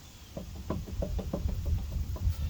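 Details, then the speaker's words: 2004 GMC Yukon XL 2WD: quick, uneven knocking and rattling over a low rumble from a worn, loose front wheel bearing/hub assembly that needs replacing. "It's safe to say that this wheel bearing is bad and needs to be replaced."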